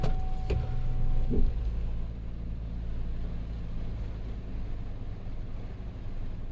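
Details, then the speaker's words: 2010 Chevrolet Silverado 5.3L V8 with P0300/P0304 cylinder 4 misfire, fixed by sliding down a coil boot that had slid up the plug wire letting spark jump to metal; now smooth, even idle with no stumble, engine still cold. "definitely a lot better definitely a lot better"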